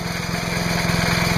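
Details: Trash-picked MTD chipper/shredder with 5 HP Briggs & Stratton engine after new spark plug, new air filter, oil change and fresh gas: quick, even putter with steady pulses and no misses or knocks; running smoothly.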